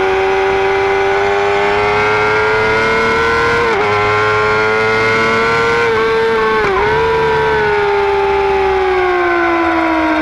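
A clear, steady high whine rides over the engine and rises and dips with the revs; the source is not pinned down.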